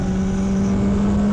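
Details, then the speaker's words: Motorcycle pre-ride check: steady mid-pitched spinning whine over engine hum, especially in first gear, seemingly from right side; owner suspects clutch plate, unconfirmed. "There's this little kind of spinning noise when it comes to my bike, especially when I'm in first gear. I can kind of hear it, and I think it's coming from the right side."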